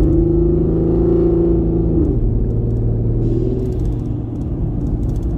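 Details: Bullet, running on five cylinders before repair, heard from inside the cab: deep lumpy rumble with an uneven, loping beat. Brooklyn Motors diagnosed the misfire as an inoperative fuel injector on cylinder 1, leaving one cylinder dead.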